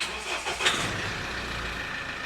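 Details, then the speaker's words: Mahindra Scorpio pickup diesel with engine power loss, after the MAP sensor and intake pipe were refitted; engine cover off. Brief crank, catches within a second, then a steady, even idle with no misfire or knock: clean start. "Low ji start हो गई गाड़ी एक बार accelerator देते"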